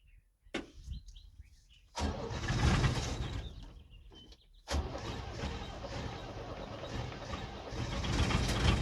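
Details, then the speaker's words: 1978 International Scout II with Nissan SD33 diesel, very cold-blooded: long cranking after 12 seconds of glow and a second glow, then a rough, stumbling, smoky cold start with a miss that clears; owner suspects some inoperable glow plugs and poorly spraying injector nozzles. "and then once it does start it's a nice smoky mess for a little bit yeah when you first start up and it's cold it has a little bit of a miss and smoke some and then it clears up"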